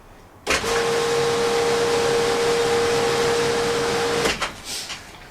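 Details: Pool filtration pump after its faulty start capacitor was replaced: the motor starts instantly and runs with a steady, even hum and whoosh before switching off.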